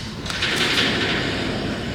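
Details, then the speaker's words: 1999 Kia Sephia, lifted front wheel spun by hand: rough rushing hiss from a worn wheel bearing with lots of up-and-down play; rear bearings also noisy; bearings replaced. "You can hear that bearing making noise, and then if you watch this, there's a lot of up and down lateral movement to it."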